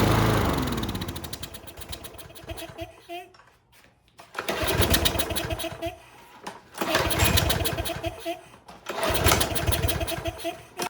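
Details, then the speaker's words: Troy-Bilt 21-inch self-propelled lawn mower that sat outside, choke on, air filter off: engine revs, sags nearly to stalling, recovers in uneven cycles; carburetor or automatic choke suspected. "All right, based on that behavior, we got something going on in the carburetor, or something with automatic choke is possibly going on."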